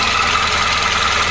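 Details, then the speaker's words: 2004 Chevy Cavalier after engine swap, about 100 miles since, idling, heard outside near the front: quick steady light tick; owner first suspected loose exhaust, now suspects the timing chain. "On the outside you can hear a tick kind of from around the front of the engine. I'm thinking maybe I didn't tighten the exhaust enough, but I don't know."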